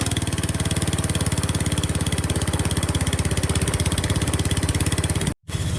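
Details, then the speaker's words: Qualcast Classic Petrol 35S cylinder mower fitted with a cheap replacement Chinese carburettor, jets adjusted: fast but uneven popping, firing pulses wavering at steady throttle; runs a bit rough, blamed on the cheap carburettor. "It's all right. It's a bit rough, but cheap Chinese carburetor. What do you expect?"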